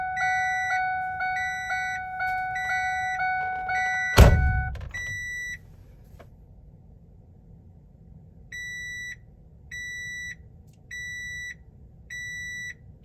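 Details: Older Ford Ranger with manual windows: fast dash chime, a door thunk, then four evenly spaced high beeps; the beeping alert is suspected to mean the airbag indicator bulb burnt out or was removed, not confirmed.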